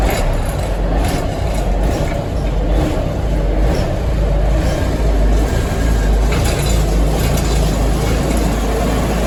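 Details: 1973 Ward LaFrance fire engine, Cummins turbo diesel with Allison PowerShift, long-sitting, after coolant leak repairs: deep, steady diesel rumble with no misses or knocks; normal diesel idle after cold start.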